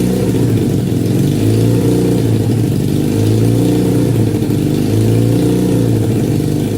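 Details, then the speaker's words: 1968 Honda CL175 with 300cc supercharger, first start in 30 years, 92°F garage, running off a car battery: idle high, surging up and down every second or two; owner suspects vacuum leak or carburetor jetting far off. "Well, definitely wants to idle high. There could be, or there are several reasons for that, but I'll just have to figure that out another day. It could be a vacuum leak. Could be just jetting is way off in the carburetor."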